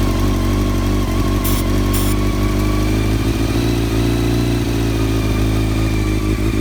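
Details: 1999 Honda CBR600 F4 inline-four with rebuilt carbs, new intake boots and new carb balancing lines; loud uneven, faltering idle instead of a smooth hum, suspected vacuum leak still preventing smooth idle.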